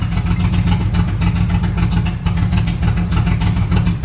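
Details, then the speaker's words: 1998 Jeep Grand Cherokee with blown head gasket (oil mixed with coolant), about 20 minutes after adding Blue Devil head gasket sealer: low idle rumble pulses unevenly with stumbles each second, idle getting significantly rougher and weird. "running but it's running pretty Gras just got significantly rougher all right the idle just got really weird"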